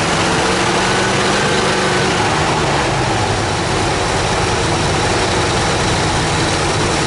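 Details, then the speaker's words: Dodge D100 stepside starting after a decade of sitting, with Marvel Mystery Oil left in the cylinders and the fuel tank emptied: a loud, lumpy, irregular idle running on about three cylinders; a massive vacuum leak is suspected. "all right looks like we're running at least on three cylinders or so that's good"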